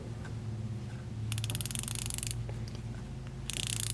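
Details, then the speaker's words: New Icon ratchet from Harbor Freight: two quick bursts of fine, even, rapid clicking as the handle swings, crisp and consistent throughout; a healthy fine-tooth ratchet with no issues. "I have zero issues with this one like I said I had this opened up as soon as I left the store and I was like this better not suck this does not suck it's the Roto head"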